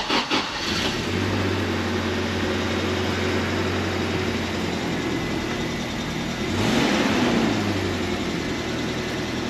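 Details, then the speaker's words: 3rd-gen Toyota 4Runner, 3RZ-FE 4-cylinder, 5-speed manual 4WD: first start after reassembly with fresh oil and coolant; catches quickly, even steady idle, no knocks or ticks, no oil light; sounds healthy. "we're gonna throw a battery in this thing crank it over and see if it starts see how it sounds make sure this thing is good to go"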